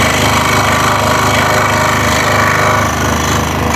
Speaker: that noise is coming from the work piece just hitting onto the bed or the table of the scroll